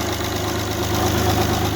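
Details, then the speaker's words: Alfa Romeo GTV restoration, first successful start with the engine bodged together after fuel pump problems, second start attempt: steady, even low idle with constant drone and no knocks or misses; owner worried re-used injector seals could leak. "So yay, finally at long last, the engine lives."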